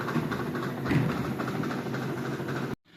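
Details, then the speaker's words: Consul Facilite 11 kg washing machine during spin, heard from underneath: rapid rhythmic knocking clatter under a heavy low rumble, described as not a bearing noise. "é aquele barulho de metal, de rolamento, né? Que aí tem que fazer a mecânica."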